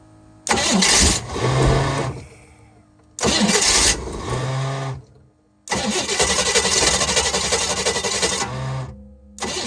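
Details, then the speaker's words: Sleek Craft jet boat with a 454 engine, first start attempt after sitting for years with the fuel pump on: several labored, dragging cranking bursts with a harsh grinding edge that never catch. The weak starter is turning slowly. "That starter is not doing good."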